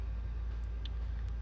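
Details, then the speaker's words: Kawasaki ZX6R during a rebuild idling with a steady, even low rumble and no knocks, running good apart from smoking; oil level good, owner unsure whether smoke comes from the radiator. "bike seems to be running good except for its smoking"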